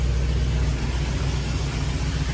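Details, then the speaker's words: Studebaker Champ pickup idling with the AC turned on and the compressor engaged; vacuum around 16.5, engine in good shape: steady, even low rumble with no misses or knocks; healthy idle. "Turn the AC on, it's blowing. Compressor came"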